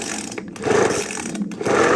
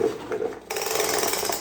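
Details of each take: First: Craftsman two-stroke leaf blower just after a carburetor rebuild, primed, on choke: buzzes unevenly, pitch sagging and surging with cuts in between; rough running after carburetor rebuild, carburetor still needs adjusting. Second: Craftsman leaf blower, reassembled after its missing pull rope was replaced: quick ratcheting rasp as cord pulls out, clean click and smooth rewind; recoil starter engages and retracts properly.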